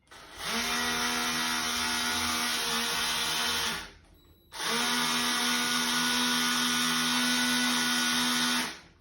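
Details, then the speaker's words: Nearly new SCX slot car, runs one direction only without digital plug: two high steady motor whirs about three seconds each, lots of power but car barely drives; owner wonders if motor needs running in. "So you can see it's got loads of power in it, like loads of power."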